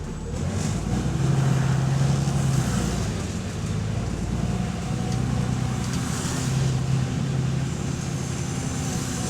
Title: Exhaust Leak | AL DW447 On Bus Route 269 Part 8 (3)